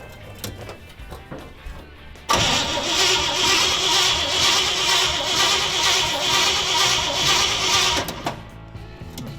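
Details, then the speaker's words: Barn find parked for decades, three-on-the-tree in neutral, carburettor primed with fluid: starter cranks steadily about two turns a second for several seconds but never catches, no spark; new points fitted, dwell still needs setting. "it's turning over what's keping it from starting up the new Point's in you have to get them the dwell set on a certain somewhere close to what it'll take to run it"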